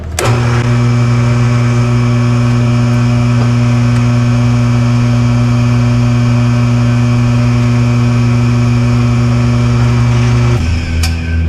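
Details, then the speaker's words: Shop fan running while drilling gear holes on a mill: loud constant low roar with a rough rattly edge, stopping dead near the end when shut off; sounds like it's going to come apart, cause unclear. "I'm going to go shut this fan off. It sounds like it's going to come apart."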